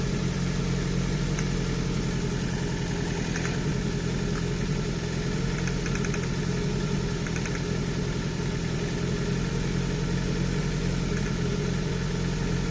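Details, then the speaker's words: 34-year-old Nissan March Super Turbo (PT12) idling during warm-up before its first drive, after new coolant: an even, steady hum with a regular low beat and no misfire. Idle is smoother and lower than before. "it's actually idling a lot better as well it's not quite as high as it normally would be"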